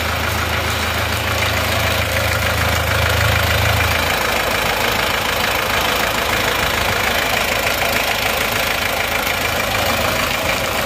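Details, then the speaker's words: Rebuilt diesel engine at idle after repair, no exhaust smoke, thermostat added; any slight roughness attributed to injector nozzles or injection pump, not engine: even steady clatter, no knocks or surging; normal idle. "Kalau ada suara yang kurang halus ini bukanlah suara mesin dipastikan suara dari nosel atau Bos pomnya"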